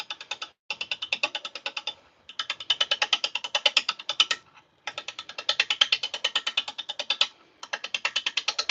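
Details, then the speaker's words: Lathe turning a blank, best guess birch, with a spindle roughing gouge and tailstock brought up: rapid sharp ticking in bursts as the gouge bites only the high side of the out-of-round blank; rough running from unbalanced blank. "That means this guy's going to run a little rough. Probably bounce around a bit."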